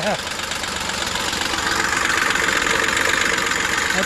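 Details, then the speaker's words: 2003 Ford Explorer 4.0 V6 on its first start after a timing chain install: a loud, rough idle with a busy rattling clatter that grows louder. It is running noisy and the cause is not yet known. "it's running pretty noisy a little"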